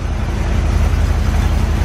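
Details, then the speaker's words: Corvette V8 on its cleaned tank with replaced fuel lines, warming up: deep, steady, even rumble with no skips or stumbles; previous misfire gone, idling smoothly. "Fuel system should be good. Vital and smooth. It ain't missing no more."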